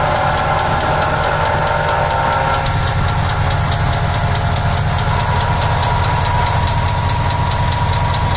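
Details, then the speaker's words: Car engine running: steady low growl with a faint whirring drone from a damaged water pump bearing that has lost its grease and worn. "estos contienen baleros que con el tiempo pierden la grasa y se desgastan como en este carro que El balero de la bomba de agua está dañado y se escucha de esta"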